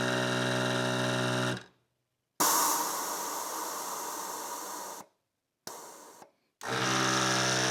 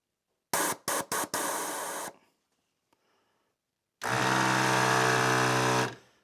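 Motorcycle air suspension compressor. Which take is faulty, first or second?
second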